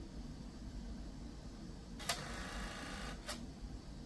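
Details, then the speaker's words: 1998/1999 eMachines eTower 266 original CD-ROM drive reading a freshly burned restore CD: quiet room hum, then two short harsh rasping bursts about a second apart; the faulty drive was replaced with a CD-RW. "uh I don't think it's supposed to make that noise oh yeah I wasn't going to replace it today but but I'm afraid I have no other choice"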